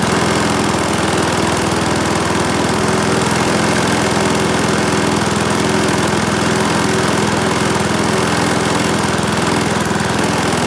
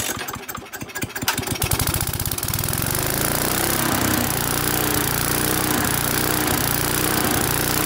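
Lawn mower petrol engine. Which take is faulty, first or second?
second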